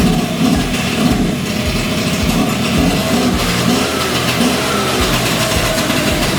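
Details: 38-year-old Honda Vision (Elite) two-stroke scooter after choke bypassed, before carburetor adjustment; fairly steady idle with an even pop-pop beat, no stumbling or dying, sounding much better.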